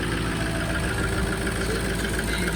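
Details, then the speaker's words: 2004 Ford F350 6.0L Powerstroke diesel at 311k miles, stock exhaust, started after sitting two weeks, took a second to fire then settles into a deep, steady, even idle clatter with no smoke. "So as you can see, it kind of took a second to fire up, which is common. I mean, heck, it's been sitting for 2 weeks, which ain't bad at all."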